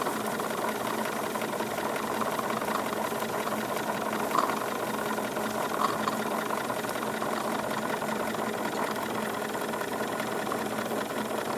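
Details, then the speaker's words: Wilesco D22 model steam engine, revs slightly raised: fast, even chuffing with light steady mechanical patter, no vibration; gurgling is condensed exhaust water draining into the catch. "just very very smooth operation increasing the revs a little bit I can feel effectively no vibration coming from this thing just lots of very very smooth operation"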